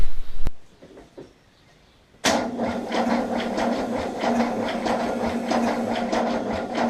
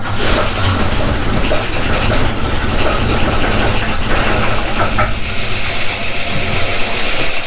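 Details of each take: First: 1979 Holden HZ one-tonner ute parked for years: cranks better after fixing the battery cable, even chug about three times a second but never catches; spark at the coil but none at the plug, points gap to be reset. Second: 1979 Holden HZ one-tonner ute, sitting for years, started after the points gap was reset: a low, even six-cylinder idle rumble with a steady beat, no misses and even compression; normal idle.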